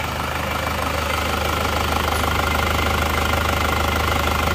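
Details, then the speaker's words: Isuzu Panther Touring diesel after overheating from running out of coolant on the toll road, worn nozzles refitted with very low pressure readjusted; steady even idle clatter about two beats a second, no misfire or heavy knock, healthy. "Tapi kami sudah menyesuaikan tekanannya, sebelumnya memang sangat rendah. Oke, sudah berjalan. Suaranya halus."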